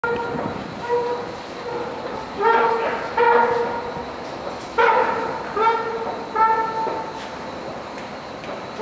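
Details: Escalator at Frontenac metro station, Montreal: loud seal-like squealing bursts at uneven intervals over the running drive. Squeal, cause unknown.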